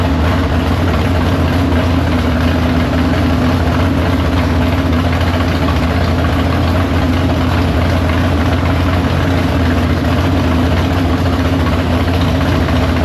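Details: Big-block Chevy V8 in the Farm Fresh gasser, timed, carb due for a swap for more fuel: loud, deep, lumpy idle holding steady, no misses or knocks. Fires right up, no leaks; normal idle.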